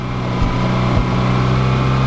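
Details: Mazda RX-8 rotary drift-build car, prone to flooding (fixed by pumping engine oil into intake to get compression and start): steady, even low hum at idle with no stumbles or misses; running smoothly.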